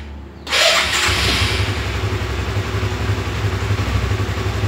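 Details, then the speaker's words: Honda CB150R StreetFire motorcycle, electric starter: harsh, scratchy whirr for about half a second before the engine catches and idles; the odd noise also sometimes occurs at engine shut-off. Rough starter motor suspected, not confirmed. "teman-teman tadi kan sudah sempet ngelihat waktu saya starter pakai electric starter ya itu ada bunyi Kok Pokoknya debunya aneh waktu kita starter awal dia debunya aneh"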